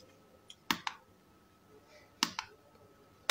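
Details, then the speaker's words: Godox Mini K-150 studio flash after repair of no-firing and power-drop fault, fired by trigger at full power: sharp snapping pops, often paired, about a second apart over a faint hum. Fires cleanly, repair done. "Ya udah beres ya Om ya Tinggal kirim nih"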